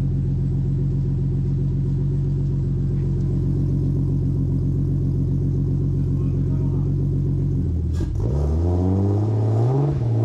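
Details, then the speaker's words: 2JZ MK3 first start, no boost, fuel pump on direct power: lumpy uneven idle, sputters on first throttle and lets out white smoke; running rich, needs a tune; sputter on throttle. "as soon as you gave it a little bit of gas like the first little bit of throttle it just started to sputter and then it would just give the gas"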